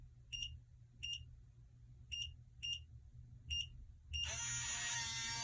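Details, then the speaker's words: Kwikset 888 smart lock after programming new 6-digit code: six short even keypad beeps then brief motor whir as bolt retracts, unlocking normally. "As you can see, it unlocked."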